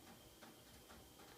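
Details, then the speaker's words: Gas gravity-feed furnace, American Furnace Company, c. 1948–1953, original Baso switch, firing up: soft ticks about every half second over a quiet hum, loudest clicks heard in the house; normal heat exchanger expansion. "that loud tick was the"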